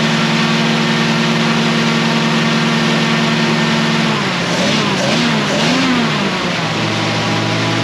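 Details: 1937 Ford 59AB flathead V8, straight-pipe dual exhaust, recored radiator, just started cold: loud open-pipe rumble climbing cleanly with throttle blips and settling evenly, lumpy idle, owner unsure if cammed; oil pressure about 30 cold; normal running.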